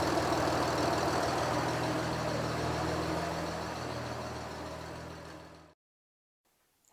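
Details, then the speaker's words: 1967 Ford Anglia 105E with a Mitsubishi 6A13TT engine, warming up after a turbo swap. The replacement turbo, unused for years, now spins nicely at idle. Smooth, even idle with no knocks or rattles, then switched off. "The turbo, by the way, is now spinning nicely at idle. I think it did just need a little bit more oil and a bit of a kickstart."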